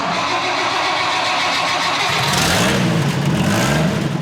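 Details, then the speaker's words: Freshly restored 1976 Toyota FJ40 Land Cruiser: the starter spins, the engine catches cleanly and settles into a steady, smooth idle; a normal start and idle that sounds healthy. "everything seems to function just as it should and again it's a very basic toyota truck so not a lot of highly complex stuff in here to worry about"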